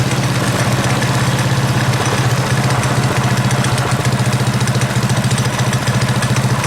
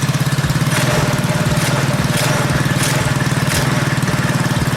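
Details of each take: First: Predator 212cc single on KT196 go-kart with advanced ignition timing, idle screw just turned down: steady, modest, even putter with regular firing and no misses or knocks; healthy idle, throttle now more jumpy and twitchy than before. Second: Predator 212cc single on modified KT196 go-kart, just started with slight throttle, choke off: steady, slightly fast idle, higher than usual because ignition timing was advanced, which typically raises idle speed.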